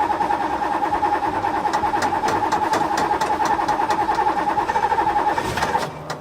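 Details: Paul Newman racing Ferrari at the track after earlier problems, fuel pump now heard running: fast, even starter cranking at about three per second, then the engine catches and fires right at the end.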